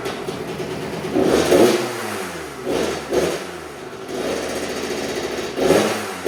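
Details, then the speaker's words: 2000 Kawasaki KX65 two-stroke, first start after rebuild with a new throttle cable and assembly, choke on: idles, then climbs and drops cleanly on quick throttle blips without bogging; normal revving. "Easy enough. I guess it does run."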